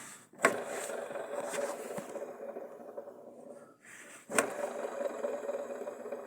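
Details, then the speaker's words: Fiat (Uno, Palio, Siena) alternator off the car, pulley spun by hand: dry, gritty rumble fading as it slows; worn alternator bearings (two), cause of loud engine drone, replace before stator/rotor damage. "Isso é rodando com a mão mas isso quando tá girando o carro funciona dá um barulho muito alto aquele roncado grande e tem que cuidar porque é somente os rolamentos dele que troca são dois rolamentos"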